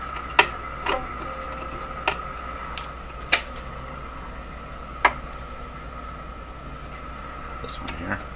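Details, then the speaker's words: Canadian Philco 409 (46-350) portable tube radio after restoration and alignment: a steady mid-pitched ringing tone sits under the audio, with clicks as the set is handled. Microphonic feedback, with the output tube suspected but not confirmed. "ooh something microphonic feedback sounds like the output tube is microphonic"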